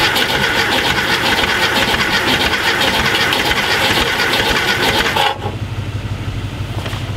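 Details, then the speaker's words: A VW Thing Type 181 that sat since 1989 cranks loudly and a little unevenly for five seconds without firing. Spark, fuel and a fresh Tundra battery are in place. The owner suspects low compression on one cylinder, possibly just the fan. "that doesn't sound good i'm going low compression that cylinder does not sound good"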